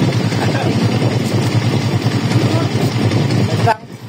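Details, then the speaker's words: EXT motorcycle, previously noisy: it settles into a steady, even, quiet idle with no knocks or rattles until shut off; normal idle. "So yun mga ka-bro tapos na po onong EXT 125. Kanina maingay ngayon smooth na."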